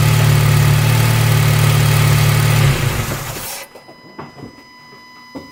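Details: 2008 Honda Civic Si just after AEM short ram intake install, door open, warming up: steady rich note with strong rhythmic pulse, then shuts off; no knocks or rattles, normal revving.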